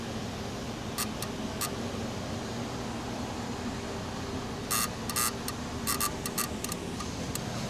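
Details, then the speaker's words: Ford Crown Victoria with no turn signals and custom wiring: sharp irregular clicks from behind the dash in short clusters over a steady hum, heard while accessing the lighting module; source unconfirmed; hazards work but turn signals don't. "I hear clicking in there. That's really strange."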